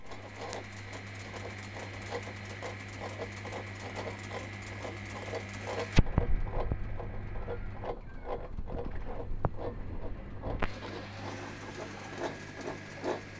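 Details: Samsung washer during drum rotation: low hum with rhythmic scraping grind about three pulses a second; rotor area grinding, cause suspected, not confirmed.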